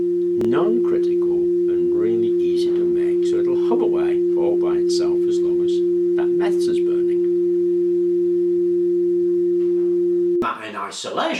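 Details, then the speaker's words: Hofler thermoacoustic tube, the basis of a Stirling engine: pure steady hum around 350 Hz holding constant pitch for ten seconds; the tube resonates properly. "So a Hoffler Tube, which was used in refrigeration by NASA, is stunningly simple,"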